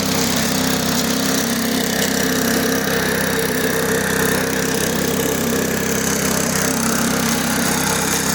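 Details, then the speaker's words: Damaged, neglected push mower after cable repair: steady even drone holding one speed with no misses, knocks or surging; running normally, everything working as it should. "Everything's working now as it should."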